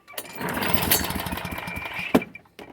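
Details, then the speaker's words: Push mower hard start, primer bulb not working: after the pull the engine sputters unevenly for about two seconds then dies; only starts with starting fluid. "okay yeah car the primer ain't working so most likely gonna have to uh spray starter fluid"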